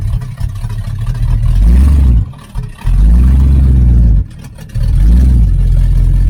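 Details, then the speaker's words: 1980 Camaro Z28 V8 with new knock-off Holley 4-barrel carb, choke flap opened fully so idle screw could lower idle, timing not yet adjusted; deep rumble rises sharply in repeated blips and drops cleanly to idle: normal throttle response. "Yeah, it's got an acceleration now."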